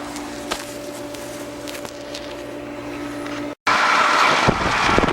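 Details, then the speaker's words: Aqua Comfort pool heat pump that won't heat water and sounds like a Mack truck, ran through two days of rain: droning hum with ringing tone and harsh intermittent clatter; fan motor suspected. "look at that fan motor I'll disconnect the fan and see if that noise stops"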